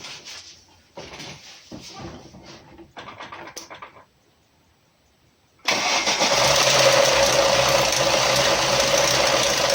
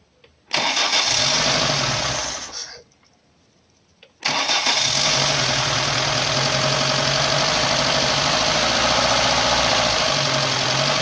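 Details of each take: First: Lada Niva 21213 idling after the engine began rattling while driving, oil warning light off: fast metallic timing-chain rattle; owner suspected the chain limiter, found a broken chain damper and tensioner at its limit. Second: Lada Niva 21213 after replacing a broken timing chain damper that caused chain rattling: engine catches, stumbles and dies after two seconds, restarts, then settles into a steady, even idle with no knocks or rattles.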